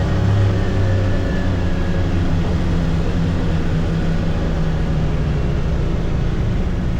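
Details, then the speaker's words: 2022 Can-Am Defender HD9 DPS cab after foam weather stripping was added to the loose factory heater core; steady low drone under easy acceleration with no cab rattle, only a faint small ting. "So, that that was a lot better. I heard this little tingy sound after, but I never noticed that before. Probably cuz that was rattling too much."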